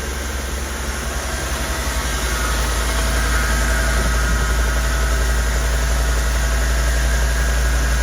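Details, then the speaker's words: Rolls-Royce Corniche started after 14 years in a barn, once extra fuel added: deep even rumble with regular beat about four per second, no knocks or misses; smooth normal idle. "It must have just been there wasn't quite enough fuel in it. Listen to that, how smooth is that?"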